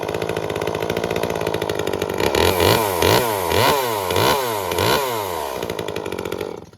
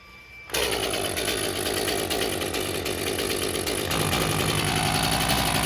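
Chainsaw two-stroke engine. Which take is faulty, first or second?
second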